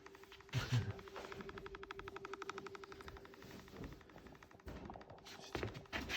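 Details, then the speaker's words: Two-day-old Mac Mini M2 Pro, idle and unconnected for a couple of hours, suddenly made fast even clicking or popping, about a dozen ticks a second, for about a minute, then stopped; cause unknown. "Maakt dit geluid. Vind ik niet normaal. En nou stopt hij."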